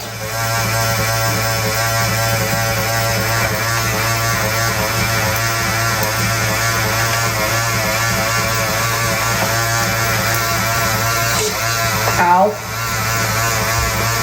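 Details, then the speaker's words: RCA SJT 400 CED videodisc player trying to eject: steady buzzing motor drone over a low hum, unchanging, as the loading motor spins freely because its drive belt is broken. Needs a new belt. "so now i know what that noise is this motor here this is the loading motor and here is the belt that goes through it"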